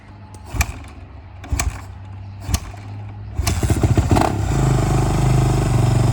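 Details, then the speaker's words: 2009 Kawasaki KX450F single after repair of a stripped oil drain plug, oil refilled, with an aftermarket performance exhaust: a few kicks, then it catches into a deep, even, throaty idle with no knocks or rattles. Normal running. "Wow, that sounds really good. Yeah, it's got some kind of performance exhaust on it, but I can't tell what it says because it's all in Spanish."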